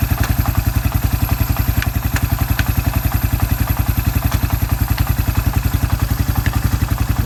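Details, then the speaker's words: Suzuki Quad Runner 250 quad, restoration, exhaust system refitted, back to spec: deep, even single-cylinder thump at steady beat, no misses or rattles, transmission running through all gears; normal running. "Transmissions running through all its cogs properly exhaust I think it sounds all right"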